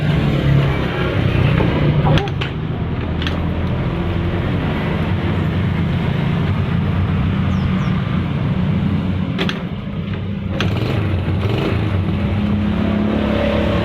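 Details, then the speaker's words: Yamaha Vega R motorcycle after fixing a no-start, with electrics, compression and fuel supply checked good: small single ticks over at a steady low idle, no misfires or dropouts; normal idle. "Kalau semuanya udah normal semua, motor dipastikan pasti menyala dan bisa hidup kayak gini ya teman-teman ya."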